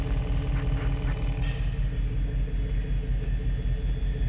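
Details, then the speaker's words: 2014 Ford Explorer 3.5L, new Motorcraft EVAP purge valve, key on, engine off, commanded by scan tool with duty cycle swept up then back to zero: soft, regular ticking just under two per second as the solenoid cycles cleanly. Normal purge valve clicking. "Okay, so let me decrease this back to zero. And again, you can hear that valve."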